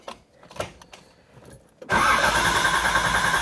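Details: Flood-salvage 1986 Nissan 300ZX: a few quiet clicks, then starter cranks steadily about three turns a second but engine never catches; only 1–3 volts measured, electrical problem suspected.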